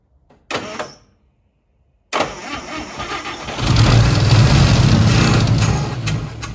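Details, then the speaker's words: 1955 Chevy classic being woken up, fuel poured into the carb, possibly weak battery: the engine catches for half a second and dies, then a slow, labouring crank builds but it won't run on its own; low battery juice suspected, jumper to be added. "well we got her to bark off for a second with the fuel I put in the car but I'm gonna go ahead and put uh put the battery on the jumper I don't think we got enough juice there"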